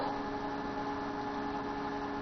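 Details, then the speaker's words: PC CPU fan after fixing a wire that was hitting it, following a 3.4 GHz processor upgrade with the cover off: soft, steady whir with a faint even hum, no ticking or scraping; now much quieter, normal fan. "Alright, now it's running clean and smooth. There we go. I win. Look how much quieter."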